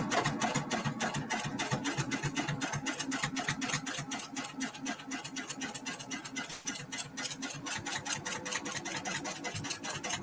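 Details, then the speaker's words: Multi-needle embroidery machine stitching a Kimberbell mini quilt: after the needle is rethreaded, quick, even ticking at about four stitches a second with a light mechanical hum; stitching smoothly and normally. "okay is that working yes yes it is working it looks like it's working"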